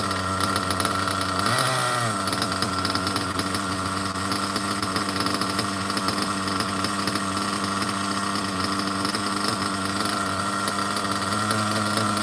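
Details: OFNA Ultra MBX nitro buggy with 2-speed and Hyper 21 Turbo engine; even high-pitched buzz on one steady note after a brief blip, clean stable idle called perfect tune.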